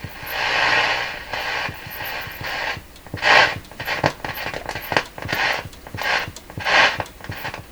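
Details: Graetz Polka German tube radio: hiss swells and fades with soft putting clicks roughly every half second to second, a motorboating oscillation; a corroded, broken wire whose copper had turned to powder was then found.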